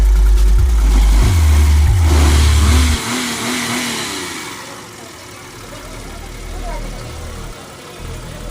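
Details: Hyundai Eon in workshop after engine overheating, head opened and parts worked on: strong, even rev dropping back to a smooth, steady idle with no knocks, ticks or misses; engine sounds healthy after the work.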